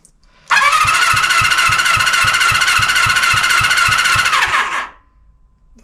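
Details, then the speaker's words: 1974 Honda CB350F four-cylinder, long sitting, cold, cranking compression test on cylinder three after adding oil: reading up slightly but still low. Cause unconfirmed: sticking valve, tight valves or rings suspected. Steady cranking whir, about three and a half soft pulses a second. "Up a little bit. Still low. So, could be something sticking the valve from sitting. Could be the valves are too tight. Could be rings."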